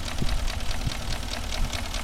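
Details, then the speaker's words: Porsche Cayenne Turbo 4.5 V8 with scored cylinder walls, smoking, burning 4 L oil per 1000 km: deep idle rumble with light regular tapping several times a second; piston knock (engine knock at idle). "от чуєте це стукає поршень"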